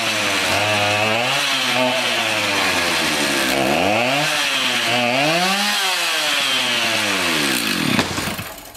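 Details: Garbage-picked two-stroke chainsaw revived, restarted after a replacement part fitted to get it oiling; revs up and down cleanly, rising and falling smoothly with the throttle, no stumbling or dropouts; runs well.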